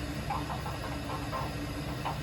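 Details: Weil-McLain WM97+ condensing gas boiler after settings check on a high-pressure/leaking relief valve call; steady low hum with soft even burner roar, no banging, whistling or surging, boiler running normally.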